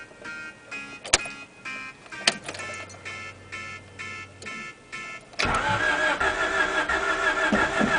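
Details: First start attempt: starter churns in regular pulses about three a second for five seconds, but the engine never catches; crank no-start.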